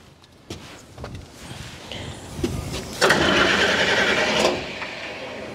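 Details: Old log loader diesel with glass-bowl fuel filter: scattered clunks, then about a second and a half of hard cranking that dies away without firing; acts like it wants to start but cranks and won't start.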